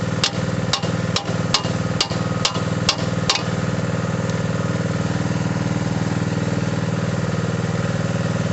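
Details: Mini digger diesel, previously not starting (lazy starter motor suspected), gives a few sharp clacks, then settles into a steady, even chug with no knocking; normal running.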